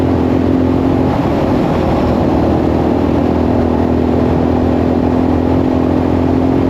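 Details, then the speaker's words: 1984 Yamaha XT600 after swapping wrong carb jets for correct standard jets, wide-open throttle desert run up to 75: loud, steady drone holding even pitch with no stumbling or breaking up; pulls cleanly, owner suspects slight leanness causes decel pop. "It didn't break up at all. Huh, that's weird. That's the first time that I've ever had it not just break up like crazy."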